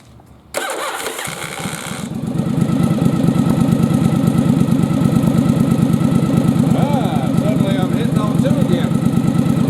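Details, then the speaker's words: Yamaha Virago bobber twin previously firing on only one cylinder; after fitting a good spark plug in place of a fouled one, engine catches and runs a steady, even beat on both cylinders while throttling up; normal running. "throttling up good so now i got a good plug that's firing"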